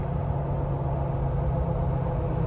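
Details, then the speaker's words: Jeep after a misfire repair, on 37-inch tires, climbing a hill at about 35% throttle and downshifting toward fourth gear: deep even drone over road rumble, no stutter, bucking or backfire, no check engine light; misfire judged fixed, normal under load. "okay well I think it's safe to say the misfire is fixed usually the check engine light will come back already"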